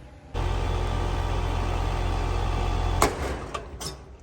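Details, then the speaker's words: AC condenser: steady low compressor and fan hum cuts out at once after a screwdriver whack on the seized contactor, then winds down; stuck contactor freed and unit stops. "So, just as I suspected, the contactor has seized up or it's gotten stuck and uh a good whack of a screwdriver has turned it off."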